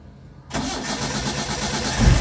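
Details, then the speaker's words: Car that suddenly would not crank, fixed by reconnecting a loose starter switch wire, in neutral: brief crank, engine catches cleanly and settles into a steady idle with a quick blip; starts normally. "sudah hidup dia dan teman jadi Berarti cuma switch starter nya ya"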